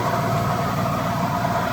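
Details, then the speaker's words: 1974 Buick Century Luxus V8 idling while parked after a drive. Even, low burbling idle, ticking over steadily with no knocks or misses. Normal idle. "I'll walk around it with it idling, and then I'll shut it off."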